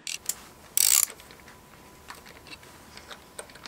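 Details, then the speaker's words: Yamaha XJR motorcycle, engine warm, cranking with spark plugs removed for a compression test: sharp irregular clicks and clacks; owner unsure if gearbox or starter clutch, and suspects bad starter relay; clicking while cranking. "Fait quand même des petits bruits, des clics clac clac, c'est un peu bizarre. Je sais pas si c'est la boîte ou est-ce que c'est la roue libre du démarreur qui fait des bruits."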